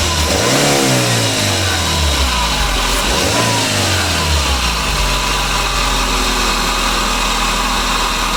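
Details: 2009 Daihatsu Gran Max engine after start: a brief rev, then a steady low drone with a constant noisy hum, traced to a worn idler pulley bearing.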